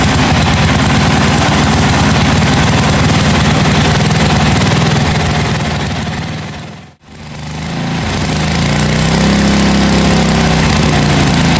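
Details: 1982 John Deere 108 lawn mower being built into a mud mower, first start after fitting a different carburetor: even, steady single-cylinder beat holding speed without surging, briefly fading midway; normal idle.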